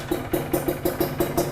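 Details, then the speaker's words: Restored and modified Kawasaki Ninja R two-stroke, engine untouched and stock, only refinished; rattly idle with a tinny tapping about five times a second over the exhaust beat; piston is fairly worn, worn piston noise. "Sebenarnya ini untuk pistonnya udah agak jelek ya, suaranya terlalu ngeledik."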